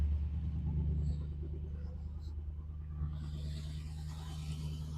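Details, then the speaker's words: Triumph TR8 (Oporto) V8 just started cold, cooling system and belts done, heard at the exhaust at rear: deep, even burble with steady firing, no misses or knocks, settling and smoothing out on cold fast idle; normal. "nice and smooth, got a real nice deep burble to it. So you can hear it just settling down a little bit. It's smoothing out."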